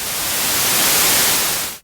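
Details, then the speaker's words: Restored 1974 Minimoog with cleaned pots, noise source playing: steady smooth hiss that fades out cleanly as the volume is turned, no scratching or crackle, so the noise volume pot is clean. "We got the noise source. Good clean volume pot here as well."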